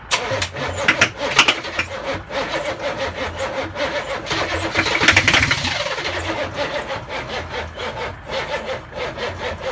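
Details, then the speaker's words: Land Rover Defender V8 conversion, first start attempt with no exhaust, throttle and starting spray: starter chugs steadily for seconds but never fires; crank no start, engine not drawing fuel. "It's not sucking fuel. Ah, try and run the fuel pump."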